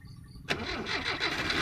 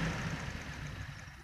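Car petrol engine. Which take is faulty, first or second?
first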